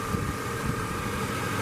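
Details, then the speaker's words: 1998 Chevy Silverado Vortec recorded at the exhaust: steady, even idle with smooth low rumble, no knocks, ticks or misfire; oil pressure good, no overheating, much condensation from the exhaust. "you can listen to that hopefully you can hear it there's no misfire"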